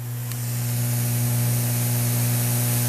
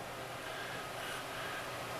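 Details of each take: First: Turntable through a ground loop isolator, receiver volume turned all the way up: low steady mains hum from the speakers, no crackle or buzz on top. Normal small residual hum, inaudible at normal volume. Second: Turntable through an external preamp to a PC, with a ground loop isolator fitted: loud, steady hiss with a faint low hum and no signal. Ground loop noise; the turntable's built-in preamp was silent.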